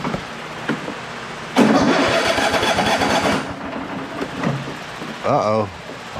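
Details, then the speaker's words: Cub Cadet riding lawnmower after a full tune-up (oil change, fuel filter, new blades), in a hot building: cold engine starter whirrs about two seconds with no catch, then a brief second try; won't start until choked. "don't think we did it right. Just kidding. I needed to choke it."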